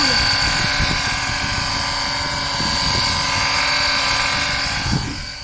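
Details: Small electric oil-extraction pump draining warmed engine oil during an oil change, with a steady high even motor whine and light pumping rattle underneath; normal pump operation.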